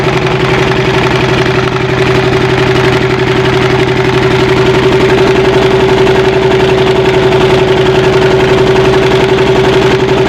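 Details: Single-cylinder diesel idling after replacing a damaged cylinder head gasket that leaked water into the air filter and exhaust; steady, even thump at a constant tone with no misses or knocks, idling cleanly after repair.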